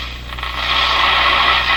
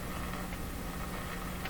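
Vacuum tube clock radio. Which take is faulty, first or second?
second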